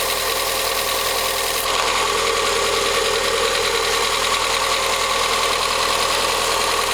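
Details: VW Gol G6 1.0 on a cold first start of the day: light ticking of about three clicks a second over idle. The dealer diagnosed faulty hydraulic lifters (tuchos), and the engine was opened to replace them.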